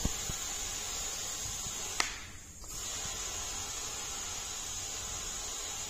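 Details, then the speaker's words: KrAZ 255B military truck tyre 1300x530x533 being inflated to about 1.5 atmospheres: steady airy hiss with a brief dip as air escapes past the inner tube before it fully seats and lifts. "o słychać że ucieka powietrze O widzicie jak się podniosła dętka teraz będzie można ją śmiało dokręcić"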